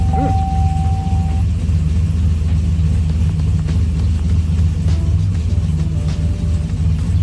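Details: Trailblazer SS with LSA V8, after replacing the ignition switch (Dorman 924-715) for intermittent stalling and no-restart: steady, even V8 rumble with no misfire, stumble or stall, music in background; engine runs normally.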